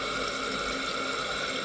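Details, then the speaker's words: Toilet that runs at night: steady hiss of water with a faint whistle. The water level is too high and spills over the overflow top, so the fill valve never shuts off; adjusting the fill valve's float lowers it. "so if you have water going over the top then this fill valve is never going to shut off and it's just going to keep running"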